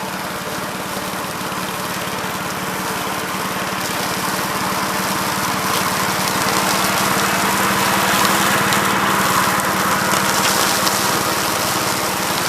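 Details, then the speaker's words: 1969 Gravely C8 walk-behind tractor after repair of no-high-range fault (drove only in low range, stop-and-go in high); morning start-up, even fast single-cylinder beat at steady speed, no misses or knocks; running normally. "so seems like it's working and running pretty good guys so uh i think we got this one licked"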